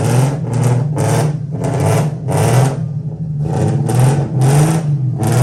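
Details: 1990-96 Nissan 300ZX (Z32): lumpy, uneven idle pulsing about twice a second, a steady misfire traced to ignition coil connectors that popped off, a common misfire cause on this car.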